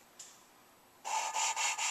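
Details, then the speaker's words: Suzuki Sidekick cylinder head rebuild, lapping new valves with fine compound: even gritty rasping strokes that start loud then quieten; valve not yet fully seated, lapping continues until sound starts quiet. "it kind of starts loud and then gets quieter and quieter I want it to start quiet so I'm gonna keep going until it starts quiet"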